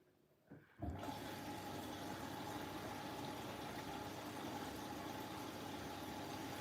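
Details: New Siemens 10 kg washing machine, first cycle, drum clean: brief click, then water rushes in with steady even hiss and trickle, filling through the back via the steam inlet; normal fill.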